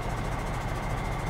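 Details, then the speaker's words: Cheap used semi truck diesel with wet kit/PTO: steady deep idle with light, even huffing from the engine air compressor; normal air compressor operation. "so here the air compressor running it's doing its job that's what that noise you hear right there the huffing noise"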